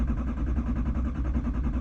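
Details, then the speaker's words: 2011 Chevrolet Silverado 3500 dually, 6.6 Duramax diesel, Allison transmission, 35°F, parked three months: steady starter cranking, even low compression pulses, never catches; fuel system lost pressure, fixed by pumping manual primer then cranking 10–15 seconds. "she just cranks this is all of a sudden so it's a crank no start so when I parked it here everything ran good it was right before winter I think what might have happened is that the uh fuel system lost pressure"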